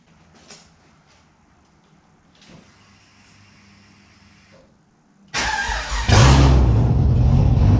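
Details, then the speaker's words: Holden Monaro engine on first start after reassembly with a new Crower cam (217/226, 114), open headers not joined to the exhaust; engine fires on the first turn of the key after quiet shuffling, roaring into a loud, choppy idle with a rhythmic big-cam lope; normal. "It's open headers. The headers aren't joined to the rest of the exhaust, so it'll be loud."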